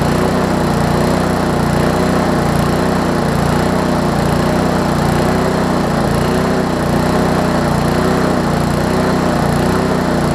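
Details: Lawn Chief push mower engine, turned 180 degrees and fitted with a recoil cover, after the air-fuel mix was corrected: runs smooth and even at steady speed, no surging or misfires; cold starts need starter fluid.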